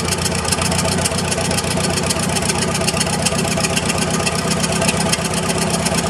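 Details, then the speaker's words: Massey Harris 44 Special tractor, restarted after cleaning the sediment bowl, flushing bad gas and fitting a charged 12V battery: a steady, even idle thump with no knocks, misses or rattles. The engine sounds good, with no smoke. "Dang, that motor sounds good, and there was no smoke or anything coming out of it, and it fired right up."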